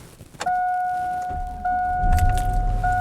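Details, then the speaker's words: 2002 GMC Sierra pickup, cold start at 30 degrees after sitting 3–4 days: key-on chime, quick crank, then it catches at once and settles into a smooth, steady idle. The ABS light stays on; the ABS has long been out. "See, starts right up."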